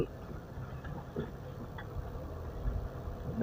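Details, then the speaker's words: Mitsubishi Pajero that screeched when braking (thin pads, possibly hardened backing) after new pads were fitted. Slow reverse gives only a soft low rumble with no squeal. Quiet brakes after repair. "nggak bunyi teman-teman mundur sip mobil mahal enak bunyinya udah hilang"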